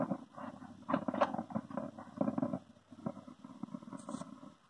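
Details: Small IC amplifier board rumbling on power-up with no music playing: low, irregular crackling rumble from the speaker, also cutting in suddenly mid-program, typical of a dry solder joint on the amp board.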